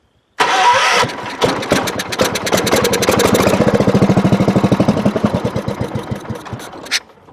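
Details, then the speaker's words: 1975 John Deere 300 garden tractor, revived after sitting, with a bad solenoid bypassed: even starter cranking at about three a second, then a few firing beats on prime before it dies. "Key switch is on, providing power to the coils. Give it a bit of prime. Oops. Let's see if she fires."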